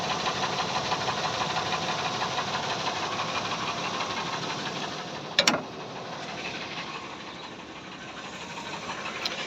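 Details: Engine with a broken piston (a broken piston ring, costly repair) idling: rough, uneven running with an irregular knock about one and a half times a second.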